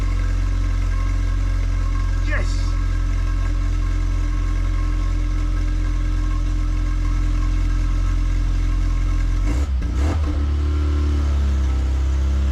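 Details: Classic Mini Cooper S Sport 5, first start in about eight months after cranking without the coil for oil pressure: steady, even low rumble at idle with a short blip near the end and no missing beats; normal idle after storage.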